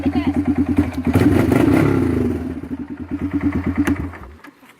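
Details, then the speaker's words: Kawasaki Bayou single-cylinder ATV before the muffler swap, revving: rapid harsh blats at about three a second, far too loud and getting louder over time. The rotted muffler lets the exhaust bark through; it will be replaced with a used Kawasaki 300 muffler. "maybe some of you've noticed that this thing is getting louder and louder"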